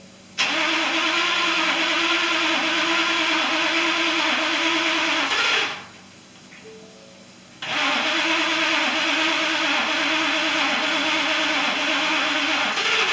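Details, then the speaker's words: 2018 Ford F-150 XLT 5.0 V8 after a fuel pump replacement for a no-start, key-cycled to prime: catches quickly after a short crank and settles into a steady, even idle with no misses or knocks; normal start and idle. "oh starting good now [Applause] i can take this down in there and give it a little gas"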